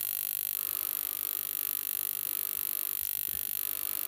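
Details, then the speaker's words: Reverse-engineered high-voltage module from eBay, likely ozone-producing, drawing about 1.3 W and 7 mA when its drive wire is connected. A thin, steady, loud high-pitched buzz with no crackle or dropouts: normal high-voltage operation. "let's begin again so let's put the uh common connection in um and the yellow which is the drive for the high voltage circuitry and see if it goes kaboom it won't because i it worked before oh it's making a loud buzzing noise"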